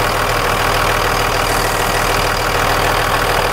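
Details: 1998.5-2002 Dodge Cummins VP44 diesel after a Fleece PowerFlo in-tank lift pump install and bleeding at injectors one and three: a steady diesel clatter at even idle with no stumbling or misses and no leaks. Running normally.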